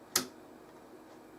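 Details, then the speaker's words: Discrete 50W power amplifier on ±35V rails: single sharp switch click, then only faint steady hiss with no turn-off pop or thump; normal clean amplifier switch-off. "wasn't even a turn off transient pop how nice um certainly a lot better than that 25 watt module I built"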